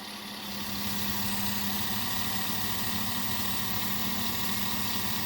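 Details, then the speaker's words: 2009 Chevy Suburban 5.3 V8 at idle: uneven, stumbling rough idle with the engine visibly shaking, from a cylinder 6 misfire with no check engine light. It likely needs ignition coils, spark plugs and wires. "the engine on this chevy suburban is having a little bit of a rough idle as you guys saw number six was misfiring if you look at the engine you can see that it shakes there's not a steady idle"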